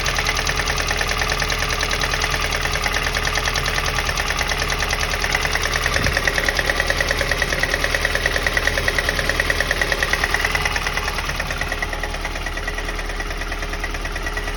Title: Стук в двигателе ВАЗ 2108 8 клапанов. Что стучит? Помогите пожалуйста #ваз